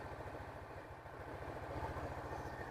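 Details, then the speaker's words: Honda Beat scooter after engine parts replacement and new oil: soft, even low putter at steady idle with no whistle or rough rasp; the earlier flute-like whistling, rough engine noise has been eliminated. "cukup karena memang sudah berhasil dalam misi menghilangkan suara kempresek di motor ini atau suara kasar seperti sulingan"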